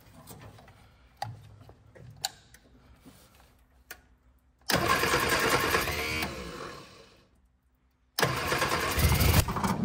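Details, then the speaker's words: 1965 Innocenti S Spider, 1098cc engine, sitting for years, on points ignition and starter fluid: cranks in bursts with uneven catches and coughs, backfiring out the exhaust, won't run; plug wires in wrong firing order. "I don't know why it's all of a sudden backfiring out the exhaust now okay now I have a back connection somewhere let's take a quick look at the firing order"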